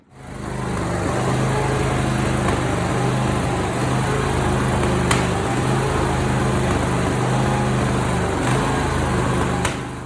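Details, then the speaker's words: Simplicity Prestige mower with 27 hp Briggs & Stratton V-twin, original Nikki carburetor, before replacement with a new carb: rough, uneven running with sharp pops every few seconds; backfiring badly, carburetor blamed. "I actually it's backfiring really bad and popping when it runs."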